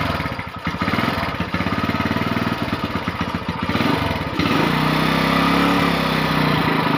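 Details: GL Max Neotech motorcycle after repairing a jumped cam chain and refitting the small oil strainer: cranks with quick uneven pulses, then catches and settles into a steady, even run with no knocking or rattle; the engine sounds healthy.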